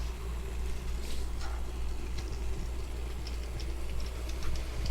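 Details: Model train climbing a helix from lower to upper layout level; steady low rumble with light, even rail clicks, no stalls or stutters, running fine after an earlier short caused stopping elsewhere.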